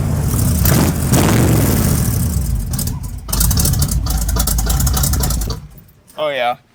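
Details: Quick listen test of a V8 truck with race bullet mufflers; deep loud rumble rising sharply on a rev and settling back cleanly; normal idle and revving, healthy engine.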